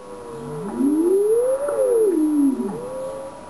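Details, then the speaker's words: Yaesu FT-101ZD transceiver in tune mode on WWV at 10 MHz: tone glides up and down as dial passes either side of the station, a growl/beat note that vanishes dead on frequency. "then what we're going to do is tune either side of the station and you'll hear a growl"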